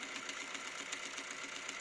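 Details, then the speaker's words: Grundig SCF 6100 cassette deck after replacing a defective transport gear: light, even mechanical whirr with soft ticks four or five times a second, much quieter with no grinding. Tape drive now runs normally, though it still eats tape. "It is better. And it's way more silent."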